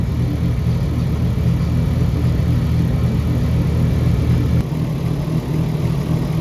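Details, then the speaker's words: Nissan C33 Laurel RB engine warmed up to 81 degrees, VCT set on idle to drop idle low, mimicking 292 cams; deep, uneven, choppy loping idle with steady low rumble; deliberate lumpy cammed idle, normal for this setup. "There you go. That's how you make a car sound like it's got 292s in it."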